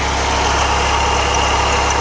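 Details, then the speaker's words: Buick Skylark with a Quad 4 quad-overhead-cam four-cylinder, started after sitting for months on a charging battery: smooth, even idle with a steady low hum and no knocks, misses or ticking; runs great, normal idle. "She runs like a top, man. She really does. It runs great."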